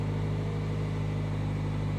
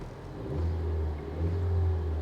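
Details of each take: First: 2018 Jaguar with 29,000 miles and a small turbo four-cylinder, Copart salvage: steady idle with a heavy low drone and busy clatter on top, surprisingly noisy for a Jag, likened to a Chevy Cruze; cause unknown. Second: Car on an auction-yard walkaround: low engine note rises smoothly on two blips and settles back without knocks, misses or rattles; engine revs cleanly.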